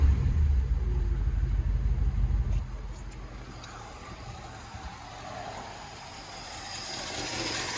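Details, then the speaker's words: 1957 Chevy Bel Air V8, first start in 15+ years, new battery, coil and fresh gas: loud rumble sags to an uneven idle close to dying and won't run long; rough idle, stalling, owner thinks it's the carburetor. "She doesn't run very long though. I think it's the carburetor."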